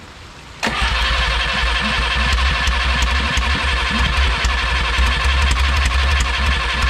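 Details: Original Renault 4CV engine (circa 1949-52, welded cracked block) reassembled after ~70 years in parts, raw gasoline poured in, enricher tried in all positions: starter spins it at a steady quick chug, about four beats a second, never runs.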